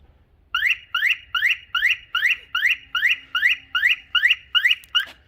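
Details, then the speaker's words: Porsche Panamera 970 with a replacement Directed alarm horn module; panic mode sounds eleven sharp rising chirps at just over two per second, then silence, quieter than expected and not quite like the Directed horn, likely because the signal is pulsed; normal panic mode. "oh turns out it's not loud at all so it doesn't sound exactly like the uh the directed one just because i think it pulses the signal versus sending continuous signal to it"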